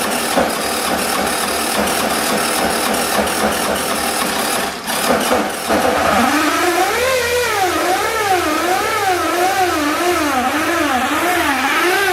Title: SUZUKI AddressV125G アドレスV125G エンジン異音